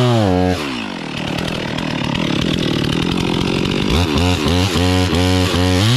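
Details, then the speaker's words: Brand-new stock chainsaw felling a Norfolk pine: near full throttle, bogging and labouring in the cut then revving back up between passes; stock chain dull and dogs too small, not biting well. "so the dogs are too small stock chains dull that's okay that's how we've how we get how we get better"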